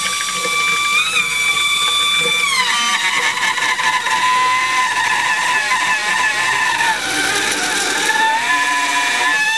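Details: Faucet (vodovodná batéria) whistles unbearably while water runs: loud piercing whistle of several steady high pitches shifting as flow changes; cause unclear, owner asks whether it is a warranty defect.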